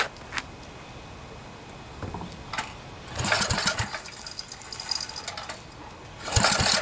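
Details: Generac generator with 10 hp Briggs & Stratton engine, after a blown head gasket was replaced and the head bolts torqued to 165 inch-pounds, choke held open by hand: a few pulls and sputters, then it starts cleanly and runs evenly.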